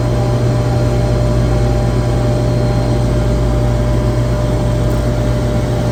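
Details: Screw compressor on a chiller after a low discharge superheat alarm was fixed by recalibrating sensors, checked with a vibration analyzer: steady, even low drone with constant hum and no knocks, rattles or surging; barely registers vibration, running smooth and well balanced.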